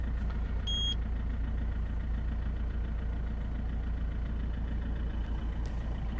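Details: 2003 Peugeot 307 2.0 HDi diesel, just started after programming a new transponder to replace a lost one: a steady, even diesel idle with a low thrum and one short electronic beep early on. Normal idle.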